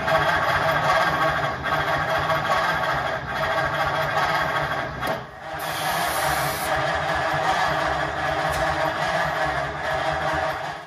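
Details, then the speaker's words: 1950 Ford F1 with reinstalled flathead engine on a 6-volt system: slow lazy starter churning about three beats a second, cranking too slowly, never firing; no spark, so it won't start. "Gotta be start because it Ain't no fire there."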